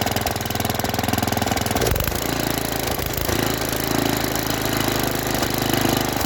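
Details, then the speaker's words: Junkyard Briggs & Stratton tiller engine (owner thinks 5 hp), flooded and seized for years, on its first-pull start after it was freed and got fresh gas. It runs on its own but the speed swells and dips, a mild surge; owner hopes it clears. A PCV hose was later found unhooked. "Runs. Surges a little bit, but maybe if we let it run a little bit, it'll clear out."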